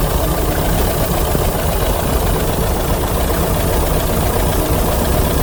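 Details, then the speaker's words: 1982 VW Vanagon L 2.0 L air-cooled, automatic, fuel-injected, after a no-start: low, lumpy idle that sags as if about to stall. Owner suspects the ignition timing needs adjusting; not confirmed. "she's a little slow she's she's like that and you listen really carefully that's how she sounds like so how do you think he made me she needs a little help at the timing"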